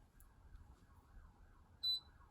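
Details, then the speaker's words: Hotpoint WMBF 742P washing machine salvaged from a skip: single short high beep as door lock warning despite tab engaged; door lock fault, possibly loose cable or interlock, later traced to overheated door interlock. "Door lock. Why are you beeping at me? The tab is there."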